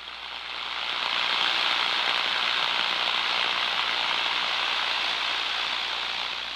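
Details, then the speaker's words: Ultraprobe 2000 ultrasound scan of electrical insulators: steady, even frying hiss with no pops or bursts; continuous sound indicates nuisance corona from sharp edges, burrs or points on insulator ends, not destructive discharge. "using ultrasound we're able to distinguish between these sounds and intermittent sound indicates destructive a continuous sound indicates nuisance Corona"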